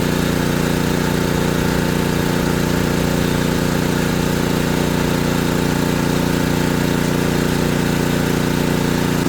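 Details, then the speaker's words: ETQ3000 portable generator under about 1500-watt load (toaster oven): steady, even engine drone holding constant speed, no surging, misses or knocks; running normally under load. "So that's 1500 watts. Let's let it sit there for a minute. It's handling it just fine."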